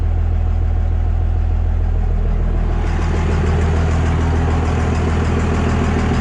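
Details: 24V diesel pickup just after injection pump swap, first start; steady low diesel clatter at idle, even and smooth with no misses or knocks; truck running normally.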